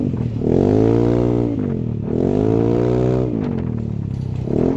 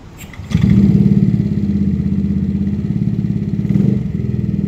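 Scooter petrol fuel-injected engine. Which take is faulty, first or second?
second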